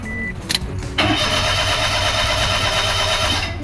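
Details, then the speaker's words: 2005 Toyota Passo with an intermittent fault where it dies and won't restart until the next day: the starter spins the engine steadily at about three beats a second but it never fires; crank, no start. "we have a no start this is one of the symptoms that he said he had that the car would die and it would be a no start"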